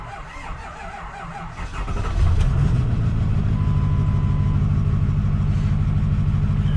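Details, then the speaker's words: Ford F450 at a lumpy, uneven idle with a stumbling beat just after start-up. It runs worse on rainy days. The owner suspects compression loss and plans a scanner cylinder-contribution check. "You can definitely hear in its idle that it is not pleased, not very happy."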